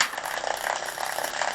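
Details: Road bike rear derailleur, B-tension screw adjustment, cage pushed up: quick, light ticking rattle in uneven bursts; top pulley teeth rubbing the largest rear cog.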